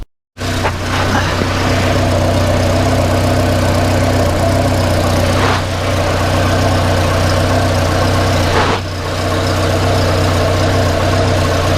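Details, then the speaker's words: 1994 Volvo 480 2.0-litre after fitting a replacement downpipe for a manufacturer defect; loud idle with a coarse, uneven puffing chuff over the engine drone, heard at the rear exhaust coupling: exhaust leak. "yeah it's quite an exhaust blow coming from that coupler yeah from from round this coupling I think that's where we've got an exhaust leak"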